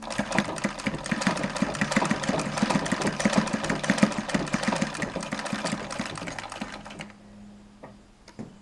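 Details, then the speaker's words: Singer model 1588 sewing machine on treadle with spring coil belt after lip-support blocks were added: soft, even stitching rhythm at modest pace, no belt whine, then slows and stops; very quiet, slower than with motor, healthy. "very quiet machine now not as fast as with the motor but I'm not sure that's a big issue"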